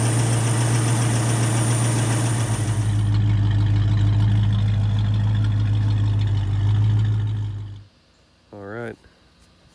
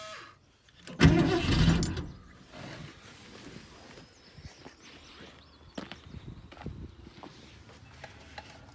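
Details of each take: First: 1972 Ford Maverick Grabber V8 after fixing a big vacuum leak between the spacer plate and the Motorcraft carburettor with a homemade gasket: smooth, even idle with a steady low beat, no hiss or stumble, until switched off. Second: 1972 Ford Maverick revived after a decade of neglect, with a Motorcraft 2-barrel carb from a 351 F-150, choke unconnected, gas poured in the bowl: cranks, catches, then lumpy uneven idle. Owner suspects a plugged fuel filter.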